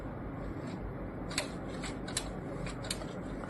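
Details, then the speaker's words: Canon Maxify GX4070 right after power-on: three light sharp clicks about 0.75 s apart and no feed sound; the ADF fails to detect paper for 8–16 minutes after startup, though feeding through the rear panel works. "you can hear the clicking. So nothing at all."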